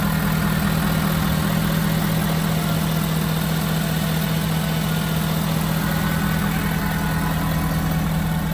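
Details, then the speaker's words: Auction-bought diesel work truck, exhaust not deleted, starting right up and idling evenly with a steady, regular clatter and no misses, knocks or odd noises; normal healthy idle. "I think she sounds good. I mean, you probably can't even hear it because it's obviously not deleted, which is definitely something that I'm not at all gonna do."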